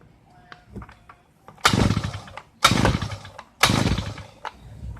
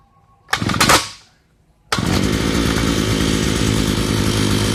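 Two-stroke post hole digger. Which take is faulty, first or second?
first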